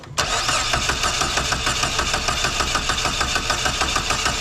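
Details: Dodge Neon SRT-4 with a cylinder 4 no-spark misfire (P0304), cold engine, coil unplugged for a compression test reading about 130 psi: even starter cranking at about three pulses a second with no uneven beats. Normal cranking, compression ruled out.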